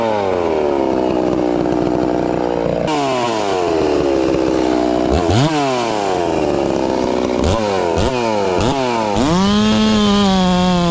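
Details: Ported, newly tuned Farmertec MS660 two-stroke chainsaw with stock out-of-box chain cutting cookies: high steady scream sags as the chain bites and snaps back between cuts; strong, clean, normal operation under load.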